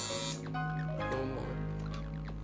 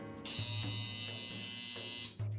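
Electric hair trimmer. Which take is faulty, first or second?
second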